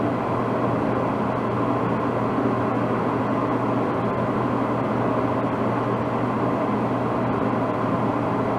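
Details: DE-N35FY clothes dryer after a fix for a bad abnormal noise: belt replaced, disassembled, cleaned and oiled. Steady, even hum and tumble with a constant low drone and no squeal or scraping; runs smoothly.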